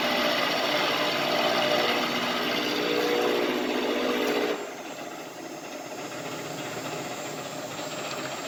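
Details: LeeJay 3-axis CNC mill with Anilam 3300MK control and AC variable-speed head drive running a circle-mill program in mild steel at about 900 rpm. Servos sound good. Smooth, even cutting whir with a fine steady hiss that drops to a quiet hum. Normal light milling cut.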